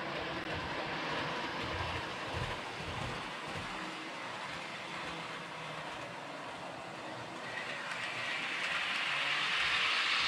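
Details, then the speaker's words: Realtrack Class 156 model train (RT156-312, 156497) after axle repair: even steady rolling hiss rising gently with speed, no squeak or chatter; runs smoothly, fixed. "So I'm gonna let this run for a couple of minutes, and then we'll show it to you again, just going real slow and real fast on this section of the layout, so you can see that it really is fixed after letting it run for about 5 or 10 minutes."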